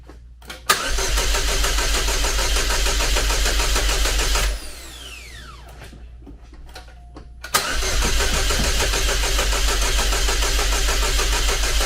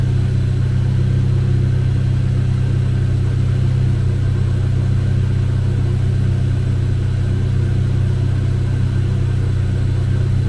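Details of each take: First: Chevrolet Cobalt SS (LSJ supercharged, just reassembled) cranks steadily about four seconds, pauses, cranks long again but never catches; owner suspects weak battery/jumper pack after it just ran on a jump. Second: Chevrolet Cobalt SS, supercharged LSJ engine, supercharger reinstalled with old gasket pending rebuild kit, first run after reassembly: smooth, even low drone with no knocks, misses or surging; running well, though owner reports intermittent hard starting and suspects fuel pump.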